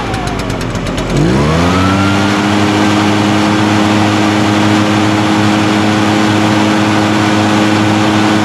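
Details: Echo PB-580T backpack blower, run outside after new recoil starter rope, new coil and kill switch repair: catches after a pull and climbs quickly to a steady even high-speed drone, no surging or stumbling; runs healthy, fixed.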